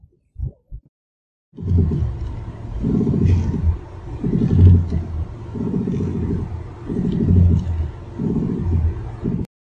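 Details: Heard inside a car while turning the steering: low rumbling groans in waves about every 1.5 seconds, from a steering/ball joint whose slight vibration is amplified by connected parts.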